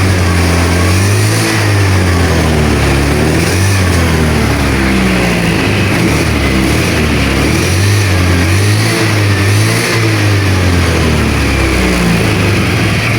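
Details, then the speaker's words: Honda Vario 110 scooter brought in for lost ignition (owner says it wouldn't start, weak battery); started via kick, on throttle the revs rise and fall unevenly, stumbling and surging instead of picking up cleanly; misfire. "Oke, kita sekali lagi berempat, Mas Gu, Motornya berbet, Bosku."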